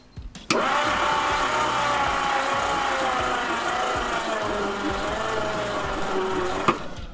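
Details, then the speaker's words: 1966 Ford Galaxie 390 big-block V8 after sitting 35 years, hot-wired to test the starter; steady starter whine with a slow, dragging pulse as the engine turns over; slow cranking on a low battery. "we are folks battery's a bit low but that motor's turning over"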